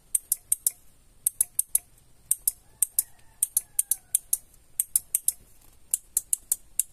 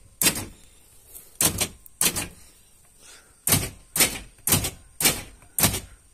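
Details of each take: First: Original central-lock/alarm door lock module from a Toyota Kijang, tested by working the switch: only the left relay clicks in quick crisp bursts while the right 5-pin relay stays silent with no felt impulse, a failed relay. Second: Repaired original Toyota Kijang central lock module: eight crisp matching snaps in quick bursts as each door lock actuator throws cleanly, all locks cycling properly.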